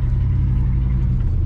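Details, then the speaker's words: 1976 GMC Sierra pickup with 350 V8, run after sitting abandoned, at its warmest so far: deep, steady rumble holding an even, fairly fast idle with no dips; sounds like it's idling high and may need turning down. "We may be able to turn that idle down. She kind of sounds like she's idling high."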